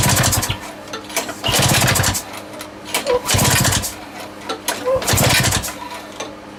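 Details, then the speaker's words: Lawn mower engine rebuilt with a homemade big end bearing shell: engine surges and sags in uneven bursts every second or two, never settling; erratic running, with a squeaking leak heard somewhere, cause not yet found. "I ain't running hit runs but it ain't it's not right it's all over the place"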